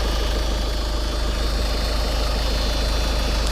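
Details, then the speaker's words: VW Passat with the engine warning light on, started while the coolant system bleeds itself automatically. A steady, even low hum under the idle comes from the normally running auxiliary pre-feed pump. "Le ronflement que vous entendez là, si toutefois ça vous arrive d'entendre ça, eh bien c'est ici. C'est la pompe de préalimentation."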